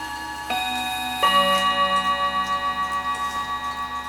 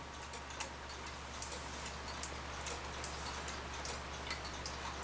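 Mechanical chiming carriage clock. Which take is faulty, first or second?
second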